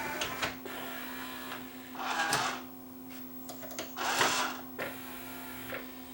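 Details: Yamaha 5-disc CD changer after load belt replacement: short firm motor whirs ending in crisp clicks as the tray opens and closes, motor no longer slipping or humming; normal tray load and eject, loading drive has good torque.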